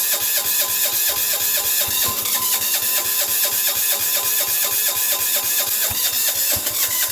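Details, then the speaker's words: Sears Suburban 6 hp diesel tractor in freezing blizzard conditions, starter cranking: repeated heavy pulses about once a second with harsh clatter, not catching; cold hard start. "I could use the starter motor to pull it through but it's pretty cold so I'm gonna salt like atomize diesel fuel that's better"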